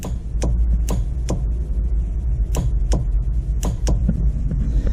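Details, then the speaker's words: 2005 Chevrolet Corvette, line lock under the master cylinder switched via a new NX switch panel, hard-mounted so it sounds loud: crisp metallic clicks about two a second over low engine hum; line lock solenoid engaging normally. "clicking that you're hearing in the engine bay, that is the line lock actually engaging underneath the master cylinder."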